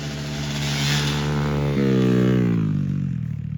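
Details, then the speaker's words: Vintage Baja race boat: raw, blatty, very loud exhaust rising and falling with throttle because the silencer fell off and hasn't been refitted. "Things so loud without a silencer. It fell off when we were on the dirt road and we just haven't put it back on yet."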